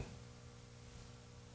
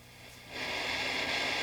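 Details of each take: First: 1955 hand-wired National Schools tube radio powered from full AC line after about 20 minutes; as tubes reach full brightness, a low steady mains hum with even harmonics grows louder above the hiss. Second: Hand-wired 1955 tube radio barn find, powered up after a 20-minute warm-up on full AC line, no antenna connected; quiet hum, then a steady hiss swells in as volume comes up; normal receiver static hiss, set receiving.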